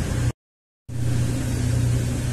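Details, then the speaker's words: 2003 Ford Windstar 3.8 after replacing the faulty cylinder-six ignition coil and clearing codes: steady, even low idle hum with no stumbles; engine runs perfectly smooth, cylinder contribution test now shows cylinder six good. "that seems to be running perfectly smooth now"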